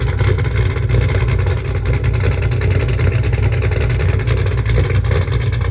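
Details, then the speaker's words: 2002 Pontiac WS6, 500hp, freshly tuned, cold start at 8 a.m.; deep, lumpy V8 rumble settling into a strong, steady cold idle with no knocks or ticks; normal cold start idle, dry belt squeak noted. "This is going to be a cold start, and it's about 8 o'clock in the morning, so I kind of feel bad for the neighbors, but the show must go on."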